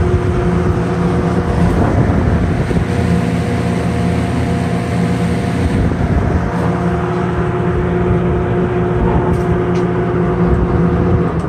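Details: Sears Lasko 453-81310 20" box fan, eBay find, plastic motor, not yet oiled or serviced, works on all three speeds: steady even hum with a low rushing undertone, no rattles or scraping; the fan runs smoothly.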